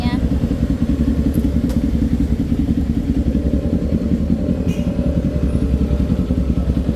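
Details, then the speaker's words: Kawasaki Z400 after backfire repair, test-ridden hard over speed humps since backfire used to appear at high speed: a steady twin-cylinder drone passes at constant speed with no exhaust pops or bangs. Backfire gone. "Ayun narinig niyo wala na wala na nga siyang backfire"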